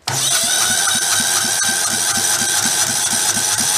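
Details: Kohler Command engine from failed engines: even, strong cranking beats, about four a second, over a hissy background; healthy compression, close to firing.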